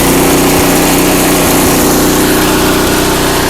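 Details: Craftsman 5/24 track snow thrower, small single-cylinder engine, after carburetor cleaned with carb spray and compressed air (seller's earlier carb clean failed): smooth steady even pace, no misses or knocks; healthy, restored.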